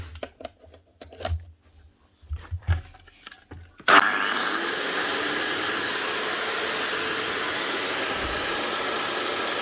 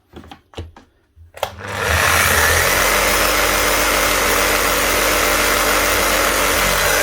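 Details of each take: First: Bosch GWS 24-230 JBV 9-inch grinder after repair with a new rubberized lead and heavy-duty plug, brushes only half worn: motor spins up to a smooth, steady high whine with even load; running healthy. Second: Bosch GBH 5-40 DCE, well used, fitted with new brushes and run with the cover off: steady hum under heavy crackling hiss, with big heavy sparking and quick heat. The armature is worn, damaged and overworked, and on its way out.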